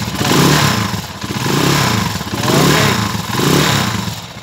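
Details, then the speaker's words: TMX155 single-cylinder motorcycle after replacing timing gear: blipped four times, revving cleanly with the previous tinny, can-like internal rattle gone. "Sige paandarin natin yan po yung andar niya makaka Okay yan nawala na po yung tunog l at saka yung lato sa"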